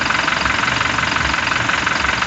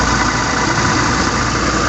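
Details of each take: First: Toyota Fortuner VRZ (New Fortuner) at idle with AC off, after removing and repairing the AC compressor and a leak test at 200: the earlier growling (ngorok) noise is gone, and the steady, even idle sounds healthy. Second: Toyota Fortuner VRZ, A/C on, idle, heard near the compressor at lower left of engine: rough, constant growl under the running noise, quiet when disengaged; worn A/C compressor clutch plate.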